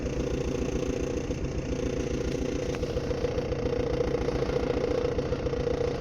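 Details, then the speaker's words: 2013 Maruti Dzire diesel idling with an uneven, lumpy clatter and recurring stumble, one cylinder dropping out; misfire with MIL on, code P0201 injector circuit open, and it returns after clearing. "आम गोटे डिजार आसी diesel 2013 मसीह डिजेलटा गाड़ी missing हो गाड़ी start करेंगे। Missing हो MIL पलि आस"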